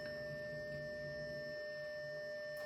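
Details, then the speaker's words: 40-year-old Atari 410 cassette program recorder with new rubber belts, on an Atari 600XL, saving a program in record/play mode with the volume turned up. A steady, clean high-pitched data tone holds level with no dropouts; a normal save. "If it works. Come on. It's just a bunch of weird noise."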